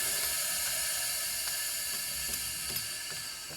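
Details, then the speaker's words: Lexus RX 330 3MZ-FE V6 cylinder leak test with valves closed, air blown in by mouth: steady high hiss of air streaming straight through the cylinder with no seal, badly worn rings letting compression escape. "и она уже шипит но напропалую просто просто вот в сквозняк голимый сквозняк засел"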